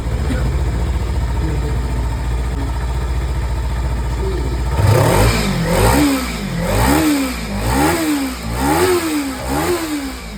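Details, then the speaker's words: Kawasaki Ninja 300 twin after throttle body cleaning, which fixed a cold-start problem: steady idle then even repeated blips, pitch rising and falling cleanly, no misfire. Normal revving. "তো সমস্যা ছিল কোল start হচ্ছিল না। Hotel body clean করার পর কোল start একবারে নিয়ে নিয়েছে। সুন্দর সাউন্ড আছে।"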